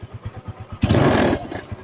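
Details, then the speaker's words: Kawasaki Rouser 135 after repair, parts replaced, kick-started because of a weak battery: even single-cylinder putter at about six beats a second with one throttle blip, no knocking; now quiet compared with the heavy clatter before. "pero tahimik na. Kumpara mo naman nung dati na walang yan lakas ng lagapakan nito"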